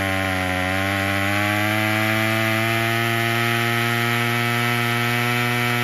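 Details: Craftsman 27cc curved-shaft string trimmer 316.711170 after repair with new recoil assembly, fuel filter and fuel line, on fresh fuel: steady high buzzing two-stroke note rising slightly then holding even, clean firing, no misses; fully functioning.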